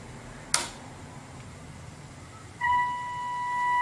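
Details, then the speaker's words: Commtron NATO FM radio after repair work, on UK channel 20 in FM mode fed an S9 FM signal: a click, then steady clean mid-pitched test tone without hiss or crackle; clean FM reception. "there we are s9 signal fm and the radio is on the fm mode now"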